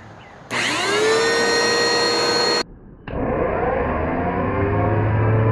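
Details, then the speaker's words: Bissell PowerForce Helix Turbo 2190 curb find: steady whirring vacuum motor with a gritty, rough edge through both run-ups; bearings judged very bad, suction still plentiful. "hmm that's a pretty rough sounding motor oh man i don't know if anything's clogged in it or not"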